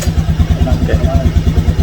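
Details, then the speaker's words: Honda Scoopy scooter with hesitation complaint: low, lumpy pulsing about eight beats a second under throttle, noisy, weak and bogging, not pulling. "Kalau saya kadet terdengar suara berisik kayak gini. Ngiteng tuh. [musik] Ini kayak enggak kuat ya, Teman-teman."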